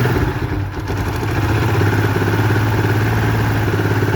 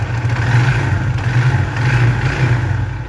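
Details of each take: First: Motorcycle idling loud and rough with a fast, uneven clatter, noise suddenly louder while riding; cause a disconnected air injection hose, after others blamed the chain and a check valve. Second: Motorcycle engine after fix, hose of the emissions device reconnected to the air filter: steady, low, even idle throb with no odd knocks or hisses, sound now completely normal versus earlier loud, strange noise.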